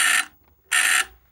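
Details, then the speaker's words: Skywatcher EQ3 mount stepper motor giving two harsh buzzy quarter-second bursts that sound like grinding but aren't; stepper motor stalling, with poorly soldered D plug and unexplained continuity between two pins suspected, plug to be replaced. "it's not actually grinding I know that sounds a bit weird I know it sounds like it's grinding it's actually the stepper motor having an issue"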